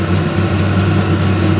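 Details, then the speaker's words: VEVOR 8kW diesel heater, E08 error, gummed from burning waste oil, after cleaning: steady even burner roar without sputter, exhaust clearing, temperature reading about 323-342°F, running well. "yeah this thing's definitely putting out heat it's working good"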